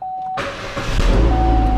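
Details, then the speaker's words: 2013 Chevrolet Spin 1.5 LTZ petrol automatic at 93,000 km, started with door open: chime stops, engine fires into smooth steady idle without ticks or misses; normal idle. "Nah, kilometernya 93.000, masih mulus banget mesinnya."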